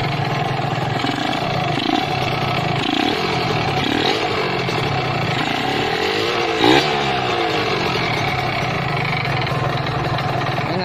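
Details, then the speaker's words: 2013 Kawasaki Ninja RR two-stroke, used bike being inspected: busy rattly idle with a clattery metallic undertone; piston noise, worn cylinder liner and, worst, crankshaft bearing noise. "di sini sudah terdengar sekali yang pertama suara piston yang kedua suara silinder blok linernya sudah aus dan yang paling parah suara askrukn"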